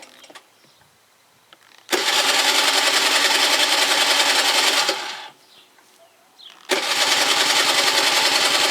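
Two bursts of fast, even starter cranking at about three and a half turns per second, with no catch; the scooter cranks but won't start.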